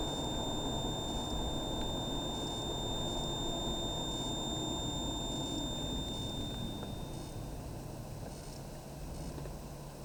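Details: Car with AC on and cooling, driving with audio off: a thin intermittent high-pitched whine from behind the central AC console or dashboard, heard mostly when off the throttle or braking, then fading.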